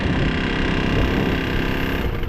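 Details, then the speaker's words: KTM RC 200 single whose engine seized (low oil pressure suspected), restarted on the roadside with help: a harsh, clattery rattle over a rough low thump; a very bad, loud mechanical noise, cause still unknown. "यार बहुत ही ग बहुत ही गंदी आवाज आ रही है बहुत ही गंदी और इतने जोर से मन नहीं कर रहा चलाने का"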